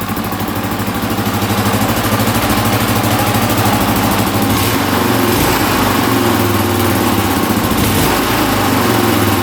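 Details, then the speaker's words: 1982 Honda XL500R single-cylinder, a little cold-blooded, throttle slightly adjusted: even steady idle with regular thump, no knocking or misfire, smooth rhythm; normal idle. "there we go she's a little cold blooded but she's idling pretty good now had to adjust the throttle just a little bit right let's see oh yeah not too bad I don't hear any knocking sounds pretty good not too bad here"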